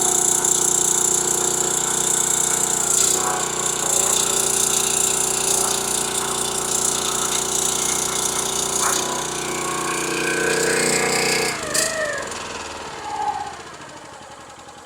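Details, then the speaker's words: Kohler small engine on a log splitter, said to have been locked up from moisture, now running on gasoline: even, steady drone driving the hydraulic pump without load, no knocking, then winds down cleanly; healthy. "Oh, the engine sounds healthy. It's not knocking. It's not acting stupid. It's running. It's running right."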